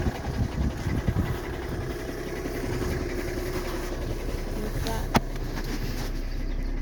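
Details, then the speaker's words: 2013 VW Jetta TDI diesel at idle in park: a quick light knock over the idle clatter that goes away in drive, attributed to a stretched timing belt and failing tensioner; fix is a belt and tensioner kit. "Just remember, when you hear that knock, that's normal when the timing belt stretches and the timing tensioner go bad on these motors."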